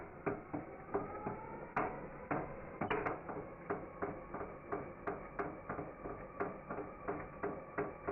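Slow turnover gives a sharp knock on every revolution, about two a second, from the bottom end; possible rod bearing play.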